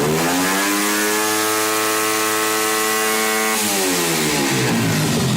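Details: 88cc Chinese small engine with no rev limiter, held wide open: steady high scream that suddenly stumbles and breaks up at top revs; valve float suspected.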